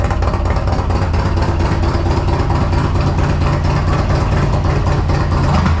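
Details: 2022 Harley CVO after a Feuling Reaper 472 cam and camchest upgrade, Thundermax tuner, FullSac headers and S&S intake: deep, loping V-twin idle, lumpy beat about two per second, strong low exhaust note; running fine.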